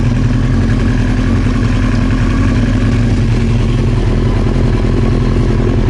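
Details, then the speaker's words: Old Honda CBR900 Fireblade idling with the fuel tap turned off, expected to run out of fuel soon: smooth, steady idle with an even low beat, no misses; behaving normally, no backfiring. "So obviously at the moment it sounds and it's behaving normally, so"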